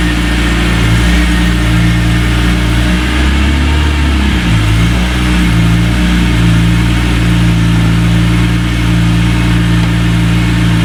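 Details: 2003 BMW E46 M3 CSL after replacing broken SMG motor with Burkhart upgraded kit and SMG oil, bonnet shut: smooth low engine hum, brief rev dip on gear selection, no clunks or whine; forward and reverse engage, no faults; normal SMG engagement.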